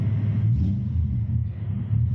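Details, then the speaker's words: A drift car just fixed after its wiring harness melted at an event, warming up off throttle: a low, steady V8 rumble holding an even idle with no misfire or stumble. It idles normally. "I just want to see it go idle once it heats up. I'm not on throttle anymore."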